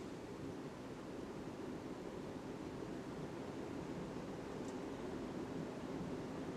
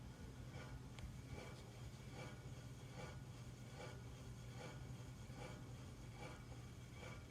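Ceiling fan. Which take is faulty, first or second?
second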